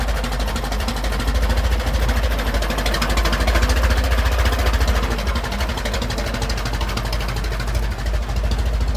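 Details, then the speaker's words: Restored 1921 American LaFrance fire engine rolling down the street: a deep, even low beat from the big four-cylinder, no knocks or misses; fine restoration, healthy normal running. "And you can tell that Rick's done a yeoman's job on this. Fine restoration, beautiful running truck."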